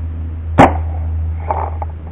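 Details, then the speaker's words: BL MVP pump paintball marker fired with the pump handle left forward and untouched: sharp pop with a short raspy puff trailing from the pump, then quieter clatter; the marker farts, though not too loudly. "you hear that fart is kind of it's not too loud but it does fart you can definitely hear it fart"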